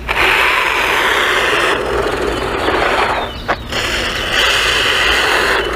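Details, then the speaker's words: XLF X04a brushless 1/10-scale RC truck with a rear-mounted motor, driving. Harsh gritty grinding over the motor whine rises and falls with throttle; stripped rear drivetrain gears suspected, not confirmed. "How can they do that and you know, not have the gear strip on them so quickly. It sounds like the rear gears, which is probably getting the brunt of the original, you know, the torque off the motor, with the motor being a rear mounted. Oh, that just sounds horrible."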